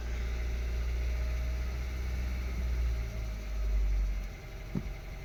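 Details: 2013 VW Golf Mk7 1.4 at idle with random/multiple-cylinder misfire codes P0300, P0301, P0302 that do not return after clearing; slight oil smell after long drives, cause unknown: low, rough idle with uneven beat and odd stumbles.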